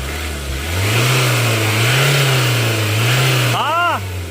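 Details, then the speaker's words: 2016 Ford Ranger MC common-rail diesel, code P0184, just after replacing fuel temperature sensor beside the pump's SCV valve: deep drone rises cleanly without stumble, louder than before the fix when revs stalled near 2,000; normal engine rev. "อ่ะสังเกตอะไรมยได้ยินเสียงเครื่องมันดังขึ้นมยมันดังขึ้นกว่าเก่าใช่มอ่ะ"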